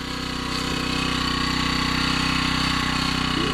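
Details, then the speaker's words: BMW at idle: a thin, constant whine over the engine beat; a turbo or bearing fault is suspected. "Sounds like a turbo's on that thing. Sounds like a bearing. That might not be good on this engine."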